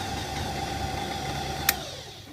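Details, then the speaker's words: Kenwood Chef A701/A mixer after lubricating the motor bearings, running at top speed: an even hum with light pulsing from the centrifugal speed controller's contacts opening and closing, correct operation, then a smooth run-down; normal. "turn the speed control on to check the m is functioning okay and if that's okay then up to the top [Music] speed"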